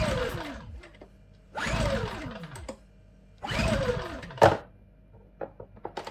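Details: Champion 8200i DF EU dual-fuel inverter generator, new (made 03/22, bought June 2023), first run on LPG from a 24 L tank: three pull-starts, engine turns over briefly and dies each time, never catching.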